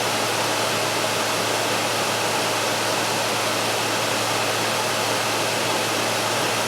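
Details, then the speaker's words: Frigidaire air conditioner after the compressor kicks on following a power-failure restart, blowing very cool air with hot air out the rear; steady even hum with a smooth fan rush, no knocks or rattles: normal compressor running. "We're blowing very cool air. We have the hot air up the rear end like we're supposed to have."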